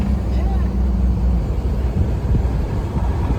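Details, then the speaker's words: Mack diesel truck after injector cup and injector replacement, with good oil pressure: deep drone turning into a crackling rapid bark through a straight pipe as the Jake engine brake works normally. "I mean it ain't excruciating loud but it sounds good this thing arounds good than in here Jake does sound good don't it"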